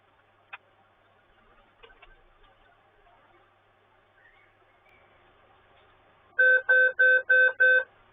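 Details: Dell Inspiron Mini 11z P07t netbook at power-on with no display: after a quiet start, five evenly spaced high beeps about three per second, a POST beep code indicating a hardware fault.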